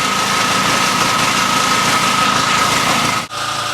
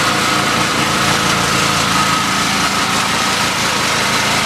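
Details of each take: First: Main generator running smoothly for over an hour under steady load with an even buzz, after it shut down and spewed oil the day before; oil and air filters look fine, owner suspects frost buildup caused pressure to blow oil out. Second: Generator engine shut down yesterday spewing oil, restarted and switched onto electrical load; holds a steady, even drone with no obvious surging; oil and air filters look fine, failure cause unclear, compression test considered.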